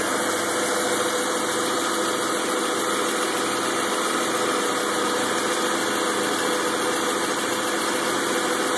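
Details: 2000 BMW 528i sport package, cold idle after start: uneven shaky idle with wavering hum and faint ticking, fading as it warms; spark plugs recently changed, check engine light on; cause unknown.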